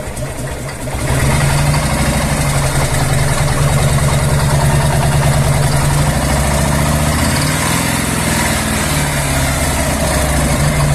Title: Так стучит умирающий коленвал Harley-Davidson Evolution 1340..